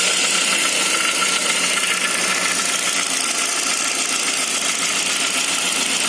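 Cold engine idling with a hissy, even tone and a faint irregular tick underneath; something's off but the cause isn't clear.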